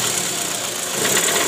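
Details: 2008 Toyota Previa GL 2.4, 186,000 km, rough "krrr" engine noise with AC on and in D or R: harsh, rattly, coarse uneven idle. Balancer shaft found worn and loose after removal.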